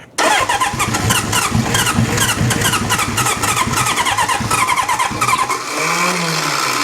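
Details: Restored 1972 Honda CB750 Four, choke turned down a little, fuel on: the starter spins with a quick, even chatter but never catches. No spitting from the carbs or popping from the exhaust; carburetor issues are suspected since timing and compression seem fine.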